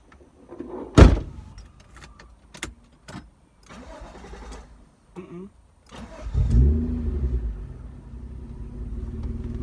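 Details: Car with exhaust taken off and dumping before the planned straight pipe: cranks, catches and settles into a loud, deep, raw idle rumble; open exhaust, no muffler.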